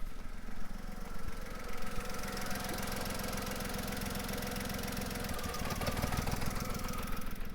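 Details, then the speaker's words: VW Polo 3-cylinder at idle, cylinder 2 unplugged again after reconnecting and cycling the key, exhaust pressure transducer and PicoScope fitted: uneven, lumpy idle with a regular missing exhaust pulse as cylinder 2 misfires. "That's it, misfiring on cylinder 2 at the moment."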